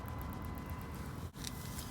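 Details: BMW X5 E53 parking sensor check, ignition on and reverse selected: faint rapid high ticking, about eight a second, over engine idle; this rear sensor is working, while another sensor with a corroded connector is faulty.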